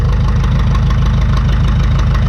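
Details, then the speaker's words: 1952 McCormick Super WD-6 tractor, started on gasoline and switched to diesel after sitting 10 years, warming up: heavy, low, chugging idle with steady, even firing and no knock; the rpm picks up a little as it warms, normal. "I don't know how to describe that sound any other than that then the RPM picked up a little bit and it just it seems like it's getting warmed up"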